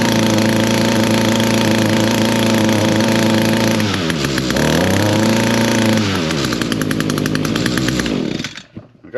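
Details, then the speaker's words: Echo PAS225 two-stroke trimmer on cold start at half choke buzzes steadily, then sags and wavers when throttled, never reaching full revs; it starts and runs but won't throttle up. "It definitely is not uh cranking out"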